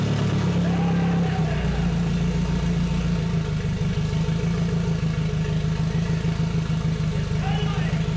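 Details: Nissan KA24DET-swapped Datsun 510 wagon on a MicroSquirt ECU with no IAC valve, on its first start: the engine surges and stumbles, barely kept alive with throttle; rough running from timing locked at 15° and a super lean mixture.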